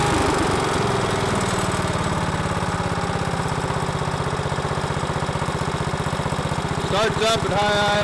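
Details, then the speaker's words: Miller Bluestar welder engine, sat 5 years, running after gummed carburetor including low idle jet cleaned; steady, even chugging with no misses or knocks; normal running. "poor little thing here will be your ready to go to work"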